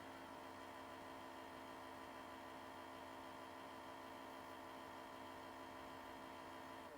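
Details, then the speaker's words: 2001 Sony CMT-CP300 three-disc CD changer before repair: loading motor whirs steadily but the drawer never opens, the common fault of a stretched loading belt that needs replacing. CD drawer fails to open, stretched loading belt. "this unit has just arrived it has the typical problem I'll show you what it does so I don't know if you can hear that noise it's now trying to eject but is unable to"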